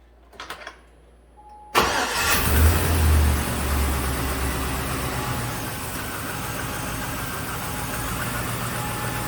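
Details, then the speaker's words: 2006 GM truck 5.3 V8 first start after head gasket failure and coolant-in-cylinder repair, fresh oil: cranks, catches, idles with rapid ticking puff; owner suspects exhaust leak at flange reinstalled without new gasket, possibly a loose plug wire sparking. "like I might have an exhaust leak. Yeah. I didn't have a new gasket for that exhaust flange."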